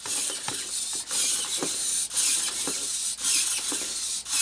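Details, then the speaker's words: Updated-model robopet toy walking: high whirring gear chatter repeating evenly about once a second, no catches or drags; normal walking gait. "that one must have really good sensors in it because it walks on any kind of carpet to which some of these the first generations can't even really walk on carpet"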